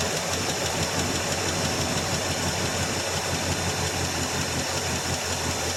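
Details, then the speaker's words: 1984 Chevrolet Suburban V8 just started cold after about three years sitting: a rough idle under a hissy background with a light, quick top-end ticking. Lifter noise at first that faded as it warmed; lifter tick on cold start. "had a little lifter noise to begin with but it came out of that no we got to let it warm up"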